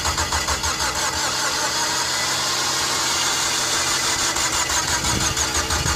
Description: The mazda familia sport 20 crank but won't start. This problem was resolved by correcting the timing .